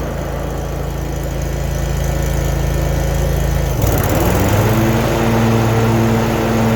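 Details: Zero turn mower, over 10 years old, after replacing the broken belt, guards off: engine chugs steadily, then after a clunk around four seconds the pitch lifts into an even drone as the belt-driven load spins up.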